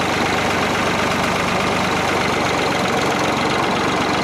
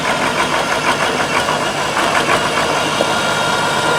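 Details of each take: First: yeah like my rat killing the way a old piece of equipment's supposed to sound Second: Tractor with a 1066 transmission housing and a brand-new MCV pump, driving: busy mechanical clatter with a thin steady whine; suspected gear pitch mismatch between the MCV pump and the housing gears, not confirmed.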